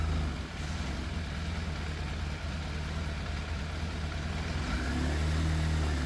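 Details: Yamaha FZ750 four-cylinder motorcycle, 41,000 miles, fire-damaged, choke fully off: idle with uneven stumbling beat and occasional dropped pulses, not smooth; missing slightly, middle two exhausts cooler than outer two. Idle hard to balance, sometimes cuts out; cause unconfirmed.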